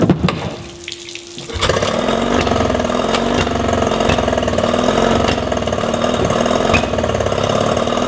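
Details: Yamaha 20 hp two-stroke outboard, at night, water on, carbs just cleaned and bowls primed, timing done previously: uneven ragged idle with irregular pops; lean sneeze persists, almost no better; reed valves checked, head gasket was leaking, cause not confirmed.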